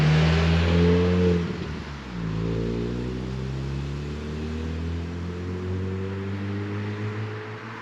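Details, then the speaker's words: VW Mk4 2.0 wagon driving after a Techtonics Tuning exhaust kit fixed a leak that had grown loud on the highway. A steady, deep drone rises smoothly with road speed, with no puffing or ticking. Sealed, no longer deafening; normal exhaust. "But really the main thing here is it's no longer leaking. It's no longer deafeningly loud."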